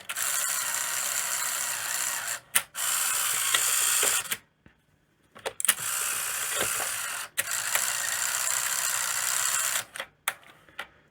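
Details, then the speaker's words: Sony Betamax SL-HF100 Hi-Fi deck, serviced: loud rattling, ratchety whirr in bursts with pauses during tape lacing/loading; the loading mechanism is noisy, owner suspects the planet gears, not confirmed. "The lacing is really noisy on this. I did service it, but yeah, it sounds really noisy."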